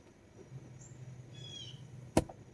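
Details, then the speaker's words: 1992 Mercedes 500SEL, radio switched on: single sharp pop from the speakers over quiet cabin hum; owner suspects a bad amplifier, unconfirmed. "when i put the radio on i hear the popping from the amplifiers i mean from speakers that means the amplifier is bad"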